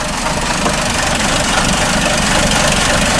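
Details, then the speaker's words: 2004 Chrysler PT Cruiser, plugs and vacuum leaks already fixed: uneven idle with a loose, irregular knock about four times a second and a miss; timing belt found off about four cogs and very tight. "I did check the timing on it it is off about four cogs the belt is really tight"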